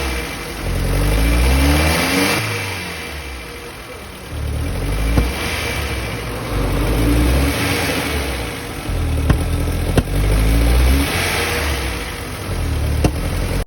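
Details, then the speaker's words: Maruti Zen MPFI: revs up sluggishly in repeated blips with small pops from the air filter area and uneven pickup; fuel starvation from a weak fuel pump, fixed by replacing the pump motor. "നമ്മൾ accelerator കൊടുക്കുമ്പോൾ വണ്ടി raise ആവുന്നതിൽ തന്നെ ഒരു വ്യത്യാസമുണ്ട് കേട്ടോ. നമ്മൾ ശ്രദ്ധിച്ചാൽ മനസ്സിലാവും."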